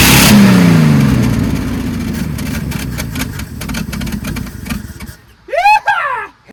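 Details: 1974 Ford F-100 V8, sitting 25 years in a barn, cranked with exhaust unhooked from the collector (owner suspects plugged exhaust): starter grinds it over in a loose, uneven rhythm of about three pulses a second without catching; cranks, no start.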